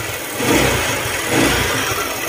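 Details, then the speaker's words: Honda ADV150 scooter engine, seat removed, tensioner bolt loosened to check: quick blips with rough "crak crak" mechanical knock under revs; earlier shop blamed crankshaft side bearing, mechanic suspects camshaft, not confirmed. "yan yung ingay nung makina crak crak crak crak ba ganon"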